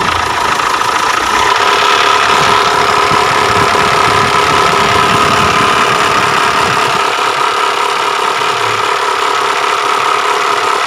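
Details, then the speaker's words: Mitsubishi Triton 4D56 diesel idling with a rough snoring growl pulsing two to three times a second; loose timing belt, suspected tensioner/adjuster or belt setting, fixed by replacing the timing belt adjuster. "Ini teknologi permasalahannya suaranya ngorok kayak gini Ok Rock Rock Rock Rock Rock Ya sepertinya ada di bagian timing belt kita akan buka kita lihat apanya yang bermasalah"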